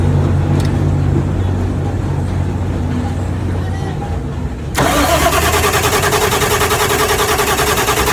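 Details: Cummins QSM11 diesel in a loader that kept shutting down, after replacing the shorting solenoid that cut power; quiet, then it catches at once and settles into an even steady idle with no misses; normal start and idle.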